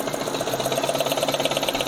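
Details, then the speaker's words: Fuel-injected petrol engine idling, running rough when cold; a fast, even ticking valvetrain clatter because oil is not reaching the top end, blamed on a clogged lubrication passage. "nah dia olinya tidak muncrat yang naik ke atas ya Huh nanti dia ada sistem pelumasan yang tersumbat"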